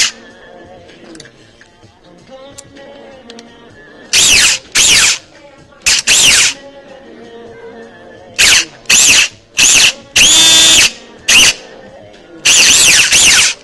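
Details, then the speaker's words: Echo1 Troy airsoft gearbox with a modified 16:1 speed gear set on a thinner plate: sharp full-auto bursts with a harsh, gritty high whine. The bevel gear is shimmed too low, giving a rough mesh; it needs raising a lot. "okay B you have to raise the bevel gear a bunch"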